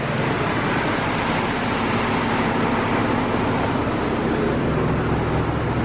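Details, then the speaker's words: About 30-year-old C1500 V8 pickup, just after fuel tank replacement and hotwiring the fuel pump, fired right up: steady, even low rumble under outdoor noise, no knocks, misses, surging or leaks; running smoothly. "Yeah, I can hear it. I'm not seeing anything leak. Fired right up. It sounds so smooth."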